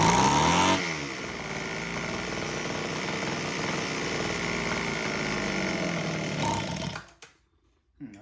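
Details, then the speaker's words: Homelite HT17 two-stroke hedge trimmer after its carb adjustment screws were set 3 turns out: buzzes steadily for several seconds, then sags and dies; it won't hold idle, cause unclear. "don't know why it doesn't want to stay idling."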